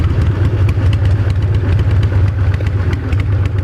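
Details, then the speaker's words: 1990 Harley-Davidson 883 EVO Sportster with reinstalled intake manifold, Keihin CV carburetor and Ultima single-fire ignition, warm after riding to a gas station: steady, even loping V-twin idle with no misses or knocks; normal idle. "Oh wow, Wow, this thing's just a happy motorcycle."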